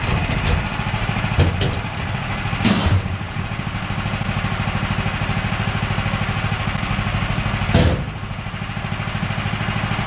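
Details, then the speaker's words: Portable bandsaw sawmill with a small engine, using Pine-Sol as new blade lubricant: the engine drones steadily under cut, then a sharp loud bang as the blade jumps off the band wheels. Fixed by setting the right amount of lubricant. "we got two nice two by fours cut and as i was going you guys could hear the bang sound that's the dreaded blade jumping off"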